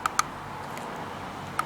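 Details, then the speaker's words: 1987 BMW K75 740cc fuel-injected water-cooled motorcycle, old Teflon-lined clutch cable: short squeaky creaks in pairs as the lever is pulled and released; worn clutch cable at end of life, to be replaced. "it never used to make this noise so I think that the cable is at the end of its life and this is where it's going to wear most"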